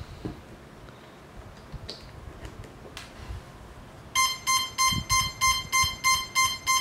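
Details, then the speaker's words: CX-20 drone after a bad crash, with two motor wires resoldered and a capacitor replaced after it was fitted reversed and smoked. On battery it gives a steady beep about three times a second with no LEDs; it works only on USB. Owner suspects a fried flight controller. "so whenever I try to connect the battery only sounds no lights even underneath"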